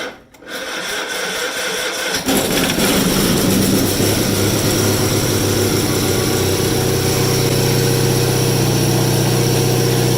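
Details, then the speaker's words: Rare factory-built Cub Cadet garden tractor, started with a little throttle and possibly choke; starter drags and hesitates about two seconds before the engine fires and settles to a steady idle, owner suspects a weakening starter: slow cranking before start. "this thing starts right up as soon as you touch the key but i think the starter's getting a little weak because you can hear it hesitates before the engine turns over"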